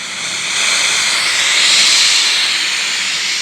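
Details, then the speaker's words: Car radio/DVD/MP3 unit bench-powered with four speakers, seeking stations with no antenna connected: steady flat hiss with no voices or music, as no station can be received without an antenna. "I don't expect any uh uh this uh station to be received because we don't have any antenna go to the unit so whenever we are scanning or seeking we won't receive any station"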